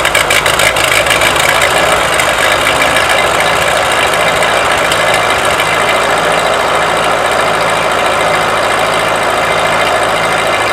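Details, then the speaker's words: Ford 8N tractor (positive ground) that only buzzed when trying to start, after the battery posts were cleaned: catches and settles into a steady, slightly rough idle with no starter buzz; it later stalled, possibly needing to warm up. "well it did stall out on me but i'll work on that later uh that might just be because it needs to run through a little bit and warm up but luckily that was an easy fix"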